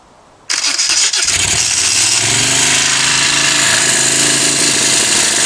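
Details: Moto Guzzi twin, cold, restarted after not running for over ten years, with new carb parts, on choke, no throttle fitted yet: quick starter whirr, then catches and settles into a steady, even fast idle; smoke is old bore oil burning off; healthy cold start.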